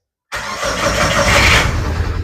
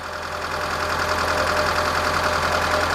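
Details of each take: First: 2006 Mitsubishi Lancer, waste spark ignition, customer complains of rough starting and power loss: engine churns then catches and roars unevenly into rough idle; misfire. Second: 2006 Mitsubishi Lancer, waste spark ignition, after replacing coil and plug wires: steady idle with smooth low hum and even light ticking around three per second, no stumble or misfire; random misfire, hard start and power loss fixed.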